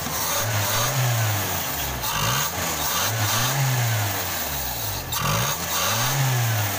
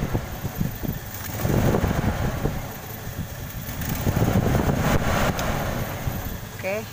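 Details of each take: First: Toyota Kijang Krista 5K/7K carbureted engine that had stumbled and lacked power, after replacing dead number-one spark plug: idles evenly with gentle rise and fall, no stumble or misfire; normal idle. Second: Toyota Kijang Krista 5K/7K carbureted engine before repair, complaint of stumbling and lacking power: lumpy, uneven idle with irregular stumbling beat, one cylinder dead; misfire.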